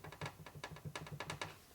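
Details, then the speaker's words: 1997 Harley Evolution 80ci lower-end rebuild, flywheel rocked by hand after fitting a thrust washer about 0.001 in thicker; light metallic clicks show small deliberate end-play clearance intended for performance use, normal. "A little bit of clearance. So for performance applications, you want to have a little clearance."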